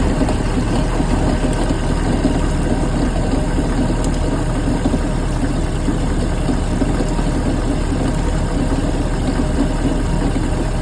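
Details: 350 MAG MPI engine at steady low idle with a coarse, gritty grinding running through it the whole time; grinding noise under diagnosis, source not yet pinned down.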